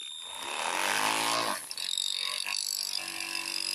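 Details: Vintage MFA Stingray model speedboat brushed motor, serviced last year, which smoked on the water with the ESC cold and the LiPo warm: a whine up then a harsh buzzy rattle; the motor is dying and due for replacement.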